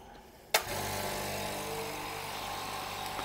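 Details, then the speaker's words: Hyundai SAC 55751 silent (59 dB) compressor switched on, filling tank in about a minute to 8 bar cut-off: steady even hum with light mechanical whirr, quiet enough to talk over; filling normally. "it takes about I think you can hear me normally now hopefully despite the compressor working and uh it takes about 1 minute for it to completely fill up the pressure"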